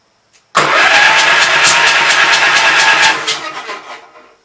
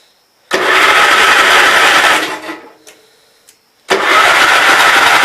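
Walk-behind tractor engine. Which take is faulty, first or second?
first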